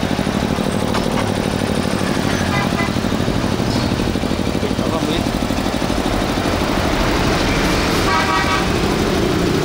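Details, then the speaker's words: Hitachi 2 hp three-phase air compressor with 85-litre tank, original paint, check valve, set to 8 kg pressure, auto-starting when air is released: even pumping chug about three strokes a second, steady motor hum, no knock or rattle; normal quiet running. "Để áp 8 ký á, mình xả hơi là nó tự chạy nha. Máy êm, đây."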